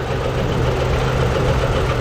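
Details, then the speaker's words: Engine after valve cover removal, some valves found dry and sprayed with penetrant, all moving; loud rough idle with steady deep uneven knocking, owner thinks internal, maybe the cam; unconfirmed. "Well, I don't get it. Could be. It sounds internal. Maybe it's the cam."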